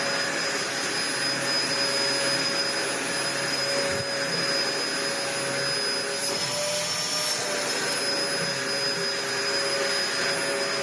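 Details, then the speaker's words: Dyson DC01 upright vacuum built June 1998 (about 25 years old), after new inner base plate swapped back to original plus service: steady high motor whine, even airflow rush, no grinding or rattles; working fine, pivoting smoothly. "Well, I think it's working fine."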